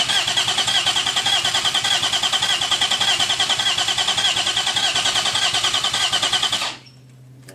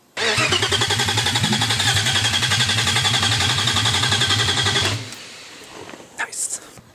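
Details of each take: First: Freshly built forged 3.1-litre custom S52 six-cylinder, first start attempt: fast even cranking for about seven seconds, never settling into a clean run. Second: Freshly built forged 3.1-litre custom S52, no exhaust or headers fitted: loud crisp even pulsing for five seconds, no misfire or stumble, clean shutdown; running healthily.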